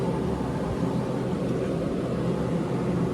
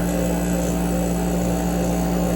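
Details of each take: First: 115 V 15 A through-the-wall AC, front cover off, blower on medium in fan-only mode with the compressor off; soft, steady airflow rush with a low even hum, no rumble, squeal or ticking, healthy fan motor. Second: AC with front cover off, compressor starting after sitting unused; low hum with rough chatter as pressure equalizes, chattery stationary-vane rotary compressor, still cooling with some refrigerant left.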